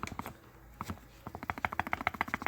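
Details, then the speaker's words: 1999 Ford Ranger front suspension, removed old upper control arm rocked by hand: quick run of sharp clunks from a loose, worn ball joint. "so here's the old upper control arm i don't know if you can see this [Applause] or hear it maybe hear the clunk"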